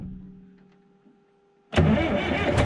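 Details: Rebuilt Detroit diesel after valve and injector adjustment, started after clearing codes: quiet, then catches at once and settles into a strong, steady idle with no knocks or misses; oil pressure reads about 60-61 psi at idle; normal start.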